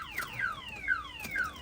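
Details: 1970 Pontiac LeMans with a newly installed alarm system (starter kill, flashing lights, door trigger): repeating falling-pitch siren sweeps, about three per second, loud and clean; the siren works properly.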